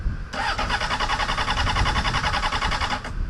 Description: replaced the battery and still wont start you guys got any ideas im all ears!!!